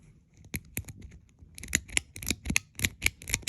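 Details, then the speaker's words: Rebuilt 4-speed pull-chain ceiling fan switch, being tested after reassembly: crisp, distinct clicks as the chain steps through each position; switch repaired correctly, normal clicking. "And as long as you hear it clicking, that's how you know you repaired it correctly."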